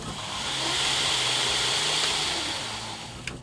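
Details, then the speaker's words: Knife-making belt grinder's 2hp motor on a VFD, back from service and running great: steady, even motor hum with a smooth high whine, no surging or stutter; normal motor run. "Everything's working good."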